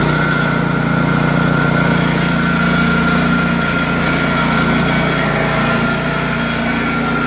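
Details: New Craftsman snowblower PowerMore single-cylinder engine after cleaning gummed carburetor jets, fuel line and tank; steady even drone at constant speed, no misses or surging, running healthy after repair.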